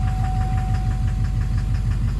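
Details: 2009 Chevrolet Duramax LMM dually with Allison transmission, idling in drive or reverse on the brake: loud diesel with regular heavy knock on every firing pulse; injector knock or cracked flexplate suspected, source not pinned down.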